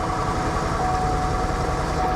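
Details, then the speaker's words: 2005 Subaru WRX STi, 142,000 miles, auction car started for inspection: uneven lumpy idle with dry metallic rattle, no check engine light; engine misfire and rattle, cause unknown. "well i recognize that sound i also recognize that noise no check engine light misfire rattling engine nope that's a wrap right there immediately no go"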